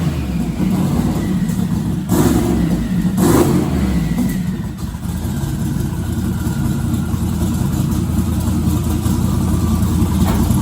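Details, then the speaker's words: Twin-turbo 1969 Camaro pro mod V8, not started in a couple of months since the driveshaft incident: lumpy uneven idle with irregular surges and dips; owner suspects fuel delivery, Holley VR2 dual brushless pump. "you know it's not running perfect but it hasn't been started in a couple of months so it didn't surprise me"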